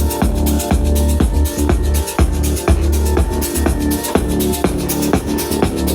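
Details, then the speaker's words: Bose L1 Pro 16 speakers fed from a Prime Go DJ controller at 50% volume play a loud dance track with punchy bass about twice a second; meters stay green with no clipping, crackle or harsh breakup, as extra headroom comes from the master bus. "Okay, so I'm not getting any clipping and it's not clipping here. They're in the green."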